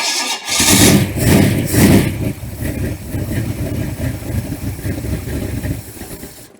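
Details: Freshly built 394 stroker V8, first start while cold, timing moved one tooth and not yet set: it cranks, catches with a few loud surges, then settles into a rough, lumpy idle; described as cold natured.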